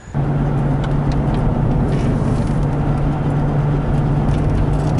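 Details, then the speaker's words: 2006 GMC Envoy on a road test with choppy tires: a steady low drone and hum that gets louder turning hard left, seemingly from the right front. Worn front wheel bearing; the right front hub was replaced. "Notice when I turn hard to the left, it gets louder. Almost sounds like they got a noise coming from both sides."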